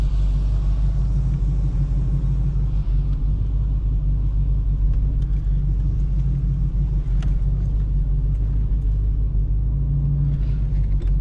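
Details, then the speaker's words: 1986 Oldsmobile Cutlass 442 V8 with rebuilt eBay Quadrajet carburetor, idling after a cold start having sat a couple of weeks: deep even rumble, no misses, stumbles or hunting; sounds a little more aggressive and good, night-and-day better than the old carb. "Completely different. Sounds a little more aggressive. Sounds good, actually."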